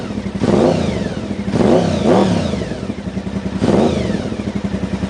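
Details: 1992 Honda VFR750 (RC36) V4, 60,000 miles, carbureted, after fixing vacuum leak at carb boots and replacing factory pilot screws, carbs not yet synced: three quick throttle blips rising sharply and dropping cleanly to idle; normal, healthy throttle response.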